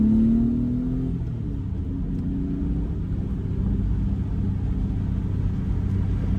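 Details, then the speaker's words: 1990 BMW E34 M5, stock S38 inline-six, stock exhaust, after fixing low-rpm misfire, oil not fully warm: brief rev settles into smooth even rumble pulling away in first without extra throttle; hesitation gone, running cleanly. "all right feels good it's 4,000 [Music] RPM don't really know if that's more power than before or not I feel like I feel like it is"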